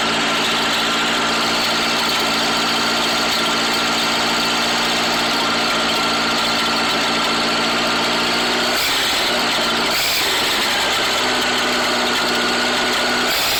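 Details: Rebuilt Atomic 4 engine at idle: runs fairly steady but stumbles and loses its beat briefly around the ninth second; misfire after the rebuild, cause not yet found.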